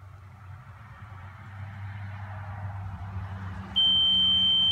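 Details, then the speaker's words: Electronic water level: quiet hum, then series of beeps as working end nears level, becoming a solid steady tone when level is reached; tool signalling correctly. "I'm then you should start to hear the beeps when it gets"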